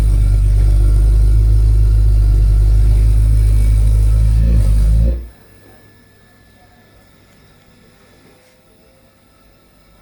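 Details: Ideal Logic gas boiler making a loud, heavy, deep roaring rumble for about five seconds, then cutting out to near silence; the noise is killed by a proper service, after which it runs noise-free.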